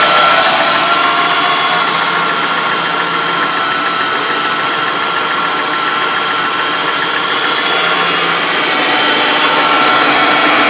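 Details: MG ZR engine idling with a hissy whirring note and a faint steady tick about three or four per second on top, audible from a distance and worsening over time; alternator suggested as possible source, unconfirmed.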